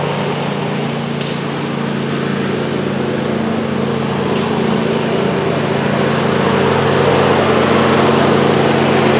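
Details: John Deere LA135 lawn tractor after a deck rebuild with new blades, belt, pulleys and spindles for a horrible whine with blades engaged: smooth, steady engine drone with the blades spinning evenly, no grinding, squeal or knocking.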